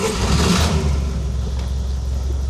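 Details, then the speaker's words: 1966 GAZ-69M (3-speed, 4WD) cold start with the choke left off: engine catches quickly and settles into a steady, low, even idle with no misses or stumbling; normal cold start. "There it is, just a little idle. It just goes great."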